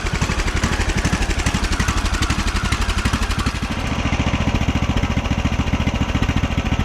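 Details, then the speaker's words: 2009 Craftsman YTS 3000 with a 21 hp Briggs & Stratton engine, after a carb cleaning, before new rings are fitted, no choke: steady low thumping with slightly uneven firing; runs well at full throttle but stumbles a little at idle. "Sounds good. Stumbles a little bit at idle."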